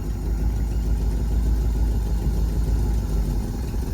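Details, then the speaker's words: 1954 Cadillac V8 with 12-volt battery borrowed from a 1959: low, steady, even idle rumble with no knocks or misses, quieter than the 59; running smoothly. "Sounds good. Sounds better than the 59 does. The 59 sounds pretty bad. This one's at least a little bit quieter."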